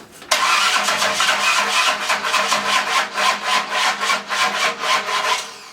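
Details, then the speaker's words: Ford 302 V8 with a new cam, freshly installed, after the battery charger was unplugged: the starter churns in uneven pulses about four a second and never catches, hard cranking. "Yeah, but the battery apparently you have smoke over it. Yeah, that's. That battery must be junk."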